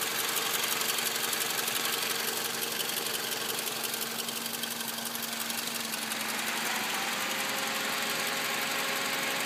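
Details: 2005 Toyota Camry 4-cylinder petrol idling with a fast, fairly even rattle of about four ticks a second. The owner suspects a bad water pump.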